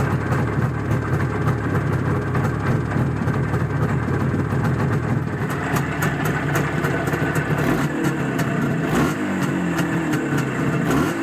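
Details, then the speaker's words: Izh Jupiter 5 two-stroke twin with balanced crankshaft: crisp buzz, clean throttle blips, no knocking or rattles. Normal running. "забегаю вперед сразу скажу что ничего страшного не случилось и вот так это двигатель работает сейчас"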